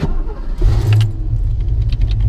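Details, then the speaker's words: Two-owner 1989 GT V8 after transmission install, tune-up, new clutch and new heater core: cranks, catches quickly and settles into a deep, steady burble with a brief rev. It runs healthy, and the exhaust rattles slightly. "but as you can hear she is happy and healthy and it just does my heart deal"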